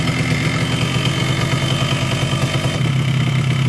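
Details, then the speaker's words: Newly bought Yamaha RX-King two-stroke idling with a harsh, gravelly rattle over a low drone. The cylinder block was rebored a week earlier but the engine is still rough; the connecting rod and crank bearing are suspected, unconfirmed, before teardown. "Ya, dari bunyi seperti ini lahir kruk dengan stang itu sudah kena, karena ini blok baru polter tapi bunyinya masih tetap pada kasar."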